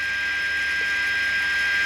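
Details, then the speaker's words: Philco 53-702 tube radio after capacitor replacement and RF alignment: a steady hiss with fixed high whistles, caused by the nearby Arduino AM transmitter rather than the radio; heavier static when the transmitter is off. "I think it sounds really good there's a little bit of noise but that is the adrenal making that noise"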